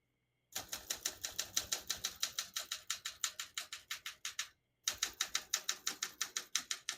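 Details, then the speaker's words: 1969 Olympia SM9 portable typewriter, West German, margins set at 0 and about 75, single line spacing: crisp, even key strikes about three a second, a short pause, then typing resumes; the bell marks the margin end; action clean and normal. "Once you hear the bell, you're at the end of the margin. Hit this line space, gets it back to the beginning, and skips 1, 1.5, or 2 spaces."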